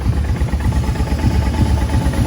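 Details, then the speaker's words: Brute Force ATV, warmed up, after a jet kit, valve adjustment, new carb boots and a Dynatek CDI to cure lean backfiring and dying: an even, steady single-cylinder thump at idle; the earlier ticking is no longer heard. "by now especially since it's warmed up in my other videos she is she is idling so uh you can hear the ticking before you can't hear it now you can't hear anything right there"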